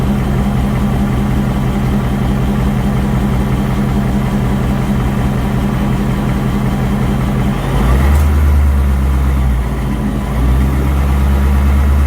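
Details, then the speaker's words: 2019 Ford Mustang GT V8, 7,400 miles, after an oil change with oil level checked good: constant clanky ticking/tapping that grows louder with rpm, no codes; suspected cylinder one scoring, unconfirmed. "it's going to be a clanky like ticking tapping and it gets louder with rpms as he raises the rpms you can hear it get louder and louder and louder"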